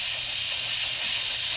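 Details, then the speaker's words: Turbocharged Escalade, engine off, intake pressurised: steady high-pitched hiss of escaping air at rear number seven injector; intake-side o-ring not sealing, other injectors leaking slightly, injector angle suspected; boost leak. "that's actually the rear injector number seven injector all that air is getting pushed out so the o-ring on the intake side is not sealing and the number one is leaking"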